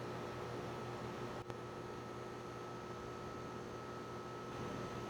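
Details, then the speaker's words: Home A/C condenser with a quiet Copeland scroll compressor, no sound blanket, heard from about 10 ft (about 62 dB): steady low hum with a faint constant tone and fan rush, no knocks or rattles; normal running. "This is a Copeland scroll compressor and it is very quiet. The only time you really can hear a lot of noise from it is on startup and on shutdown. If you get right up on it, you can hear a gentle hum."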